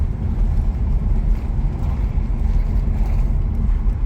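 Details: 2019 Chevrolet Bolt LT electric car driving over a big manhole cover and cracked pavement; steady low road rumble, no clunks, knocks or rattles; normal suspension over rough road.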